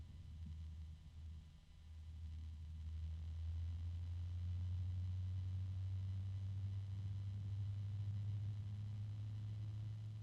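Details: bgears b-blaster 140 fan, third unit (second replacement), tested for true noise level: steady low hum at one pitch with faint rubbing underneath, harmonic resonance rather than clean running. Resonant hum.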